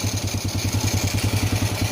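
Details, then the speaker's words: Honda Supra Fit New motorcycle after repair of heavy smoke and rough noisy engine, reassembled, idling after light throttle: steady even thumping about eight beats a second, no knocks or rattles; normal idle, running normally again. "Nah, oke teman-teman, di sini untuk motornya sudah normal kembali."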